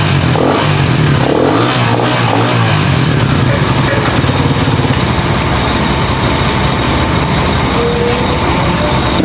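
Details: Pantra-type single-cylinder motorcycle, formerly very hard starting, after converting to a Lihua 4-pin CDI on a primary-type stator: brief rev, then steady run with no misses or popping; firing clean and starts easily now.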